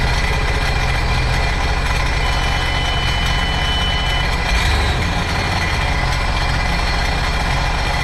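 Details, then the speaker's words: Supercharged 2009 Sea-Doo GTX 215 jet ski, after replacing the cracked cylinder 3 coil: uneven, lumpy idle with a recurring stumble in the low rumble. Cylinder 1 still misfiring; owner guesses a clogged fuel injector. "Still missing. We are still missing cylinder one. So, let's check in here."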